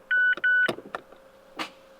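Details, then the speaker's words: Mazda with SkyActiv engine after starter motor refitted and battery confirmed charged by multimeter: pressing start gives two dash chimes, then single dry clicks with no cranking. A blown starter fuse was later found. "try again it's just clicking"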